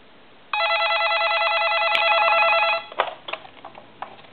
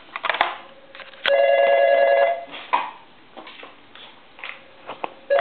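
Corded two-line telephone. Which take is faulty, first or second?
second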